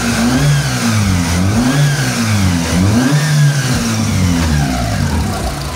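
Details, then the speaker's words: Mitsubishi Lancer "itlog", after repair of misfire, no power and reversed firing order: revs up and down cleanly with no misses or stumbles; power restored, engine quiet and healthy. "Ganda ng kondisyon ngayon mga boss. Ayan. Tahimik. Tahimik na yung makina."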